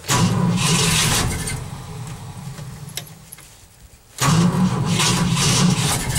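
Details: Cold start after an overnight low of -11 and 0 at start: two long bursts of cranking with a quiet gap, and the engine never catches; the owner thinks he flooded it and the battery may be weak.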